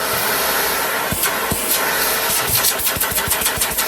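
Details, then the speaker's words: Okay, so we got suction, right? "Okay, so we got suction, right?"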